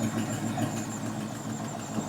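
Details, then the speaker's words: 1973 International Scout, long-derelict, carbureted, choke closed: even, steady idle pulse with no misses or stumbling; normal idle. "That sounds more normal, right?"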